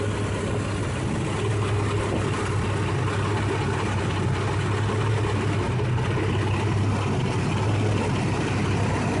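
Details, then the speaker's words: 1989 Jeep Cherokee 4.0L I6 Renix, first start after overhaul with new exhaust manifold: even, steady low rumble with no ticks, knocks or misses; the engine idles smoothly and sounds healthy, though the harmonic balancer looks slightly wobbly. "everything else sounds like it's doing good no strange noises no strange looking things for the most part stuff looks good"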